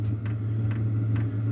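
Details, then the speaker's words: Wippro 8kW diesel heater running at level 3 of 10: steady light fuel pump ticks about twice a second over an even low hum with slight rumble; pump clicks speed up with setting; normal operation. "so that's two and that's level three and it goes to level 10 so so you hear the fuel pump clicks get a little faster"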